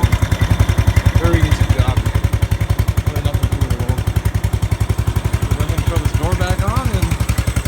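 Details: Riding lawn mower running after replacing a faulty starter solenoid with a universal solenoid: small single-cylinder engine thumping evenly at about 220 pulses a minute with music over it; running smoothly and steadily.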